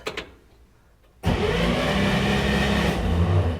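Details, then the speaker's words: 1965 Chevrolet Corvair 110 Monza, flooded and sitting 13 years, spark plugs out and cylinders fogged, just fitted with a new starter: fast, even cranking whirr, no grinding or clatter; starter healthy. "That sounds a whole lot better."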